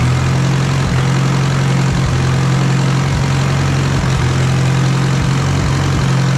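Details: Allis Chalmers B tractor engine, now running on gasoline by itself after a long repair, with oil pressure present. A steady, even low thrum with a regular firing beat and no misses or knocks. Normal, clean idle.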